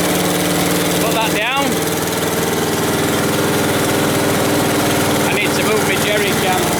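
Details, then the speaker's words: Westwood T1200 garden tractor out of winter storage, small single-cylinder petrol engine started first time: ticking over at a steady, even beat with no misses or knocks; healthy idle. "no that's it just started first time just got a little bit you're very sweet little engine"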